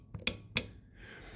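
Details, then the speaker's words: 2010 Toyota Tacoma TRD Sport 2WD, A750E transmission with hard 1-2 shift and pressure control solenoid B code: solenoid bench-tested after cleaning out dirty fluid with WD40, crisp metallic clicks, snapping in and out cleanly. "but uh it moves a lot better now I cleaned it with a little uh WD40 in this are area here to get some and when I sprayed it out it had a bunch of um dirty fluid in it transmission fluid"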